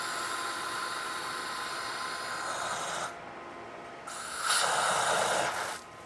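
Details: Steady pool pump hum, then two short bursts of rushing hiss as trapped air is bled from the filter after the filter was refitted and the system restarted to check a flow problem. This is a routine bleed.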